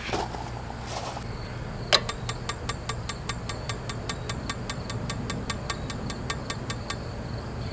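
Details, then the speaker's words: Camper igniter after reinstalling: sharp, even clicks about four per second but no visible spark or lighting; electrodes not checked for adjustment, gap suspected to need opening. "she ain't even trying I can hear it striking but I don't see it striking I don't see any spark"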